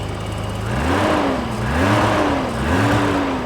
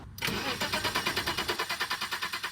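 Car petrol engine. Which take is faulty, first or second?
second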